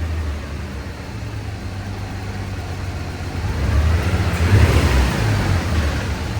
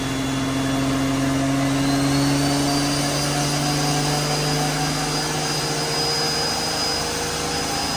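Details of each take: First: Drift Nissan R34 pulling under load on a dyno: deep rumble with an uneven, stumbling misfire; cylinder 5 had a broken spark plug, porcelain dropped into the cylinder, power falling off. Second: Drift Nissan R34 turbo on the dyno at about 14–15 psi on pump gas after a wastegate spring change, full-load pull making 320/287. A strong engine note climbs steadily and ends in a loud rush of air, smooth and pulling hard throughout. Healthy.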